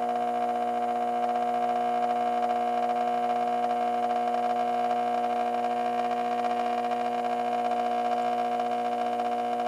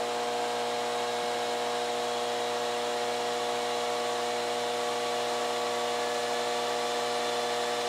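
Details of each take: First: 1986 Carver PM-350 power amplifier on the bench during cooling repairs, with a new fan ducting being fitted: steady loud hum with a strong buzz, no fan noise beneath it; very noisy power transformer humming under load. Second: 1986 Carver PM-350 power amplifier after fitting a 12 V fan controller and ducting for cooling: steady whir with a constant tone and even airflow as the fan ramps up, no rattle or scraping; cooling fan running fast and healthy.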